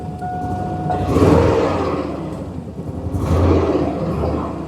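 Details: GM 6.0 V8 from a donor Sierra, first runs, about 60 psi oil pressure when revved: idle surges up and sags back roughly every two seconds instead of settling. Rough hunting idle; poorly made connections suspected, not confirmed.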